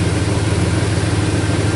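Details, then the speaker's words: 2001 Dodge Dakota 4.7 V8 with P0171 lean code, left bank reading lean, warm idle: fast, even puffing tick riding on the exhaust beat; exhaust manifold broken off, leaking at the manifold. "sounds like it's busted off right of that manifold yeah basically it's equipped with a flamethrower package this broke right off at the manifold"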